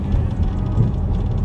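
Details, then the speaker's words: Dodge Challenger (2008–2019 platform) after fitting Megan Racing adjustable front upper control arms with Eibach lowering springs and an alignment: driving over a reflector bump gives only dull road rumble, no clunks or knocks; suspension sounds normal. "No clunks, no clunks, no clunks. Sounds like it's supposed to sound."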